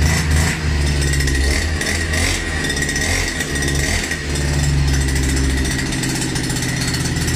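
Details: Russian URAL MASH 5.7 hp brush cutter, new, during first run and break-in: even, steady two-stroke drone with slight rise and fall in pitch, no knocks or misses; normal running.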